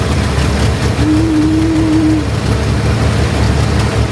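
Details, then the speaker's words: 1964 Chevrolet Corvair barn find, points cleaned, running on a fuel bottle: steady low engine hum at even speed with no knocks or misses, generator appears to charge; normal idle. "The car is running on its own."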